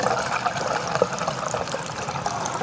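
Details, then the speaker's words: Filling the tank on an LSA-supercharged Chevy Caprice PPV from a 5-gallon can through a regular funnel: smooth even splash with no gurgling or backing up, tank filling freely and the vent working. "We're going to fill her up. This is how we do it usually. You hear her taking it down, no problems."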